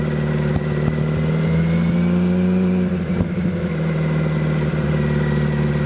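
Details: Hayabusa-swapped 1970s electric CitiCar after changing fuel-smelling oil, driving: engine note climbs smoothly and evenly under load with no missing beat; healthy acceleration.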